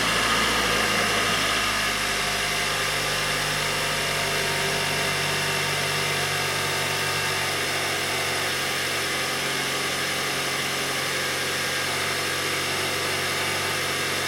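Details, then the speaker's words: 2019 Hyundai Sonata SE, first start after Amsoil engine flush and Amsoil 5W-30 Signature Series full synthetic fill: smooth steady idle with light fast even ticking about four per second; normal fuel injector tick, engine sounds happier. "yeah it does sound different for sure not as readily as before those are definitely the fuel injectors you're hearing so um already that that's off to a better sound the engine already just sounds happier"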